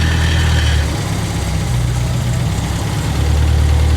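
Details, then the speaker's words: 1975 MGB that sat 14-16 years, fuel given a little sip at a time: low idle hunts and sags, dipping then recovering every few seconds; unsteady idle, but staying running on its own. "and she's staying running on her own right now"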